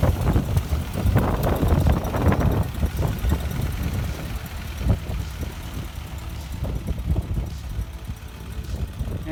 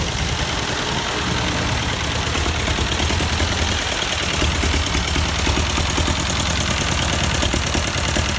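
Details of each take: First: 1952 Ford 8N tractor after freeing a stuck-open exhaust valve by tapping: low, fairly steady putter with slight unevenness at idle; running much better, still burning off oil from the cylinder and excess fuel in the muffler. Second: 1952 Ford 8N tractor, sat unused for years, running: uneven stumbling idle with a lopsided beat and skipped firing every few turns; one cylinder dead, exhaust valve stuck open giving no compression.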